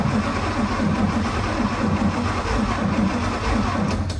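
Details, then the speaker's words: 1971–72 Chevrolet 350 V8 in a split-window Corvette coupe, not run in about 25 years, cranked by jumping the starter wire: starter turns it over with a lopsided, galloping beat, suggesting uneven compression between cylinders (suspected); no spark found afterward on cylinder 1. "It does turn over. It's galloping a little bit, which concerns me. That means it's not even compression, but let's see where that goes."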